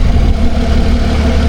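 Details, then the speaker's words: Lotus Evora 400, warm, after replacing the air filter and clamping hoses while chasing an air intake fault code: deep, steady idle with an even low beat and no misses, hiss or rattle; normal idle. "It sounds It sounds fine, though. Everything looks good so far."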